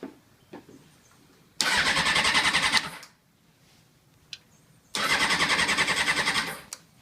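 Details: 2001 Honda CBR600 F4i that wouldn't start after being parked mid-ride: two bursts of quick, steady cranking, about three beats a second, never catching. The battery is new, and the fuel pump no longer audibly primes. Cranks but will not start.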